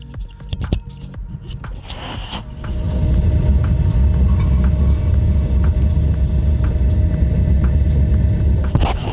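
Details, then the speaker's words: Chinese diesel heater in a VW T4 van, about one-two minutes after startup, glow plug heated, on one bar of heat, microphone moved toward heat outlet: even low rumble with soft steady tick, no surging; normal running at low heat. "We're on one bar of heat, which is next to nothing at the minute. It's not really doing anything, as you can tell."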